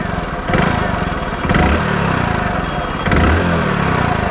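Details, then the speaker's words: Hero Splendor Plus BS6 single-cylinder motorcycle at idle; uneven tappy clatter with surges about every second; owner suspects degraded oil or increased valve clearance, unconfirmed. "लेकिन आवाज आ रही है अब हो सकता है कि ऑयल खराब हो रहा है इस वजह से आ रही"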